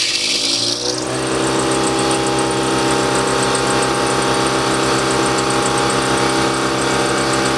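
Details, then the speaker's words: 60-gallon DeWalt air compressor, first run after failed motor (bad start capacitor) replaced under warranty: motor spins up to a steady run with a thin high chirping squeal throughout; drive belt squeak, belt seems tight, tension adjustment suspected. "yeah not a huge fan of the belt squeak there i don't know if there's anything that i can do if i can like put some dressing on it or something but it definitely seems like it's tight"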